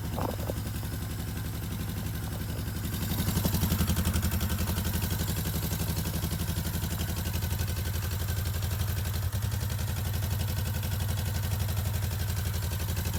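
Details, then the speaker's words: 1972 Honda CL350 K4 twin, original 7,600 miles, long parked, carbs sonically cleaned with new needle valves: steady even putter at about four firing pulses a second, smooth idle with no misses or knocks; normal running. "So, does it run? Of course it runs. Let's crank it up for you."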